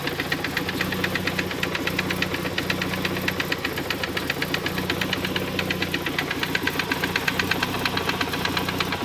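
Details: 1991 Saab 900 Aero Classic: steady sharp knocking, roughly three per second, over a smooth idle; engine knock, source undiagnosed.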